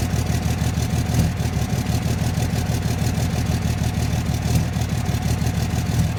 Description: 2006 dodge cummins bad injectors?. This is what it sounds like at idle.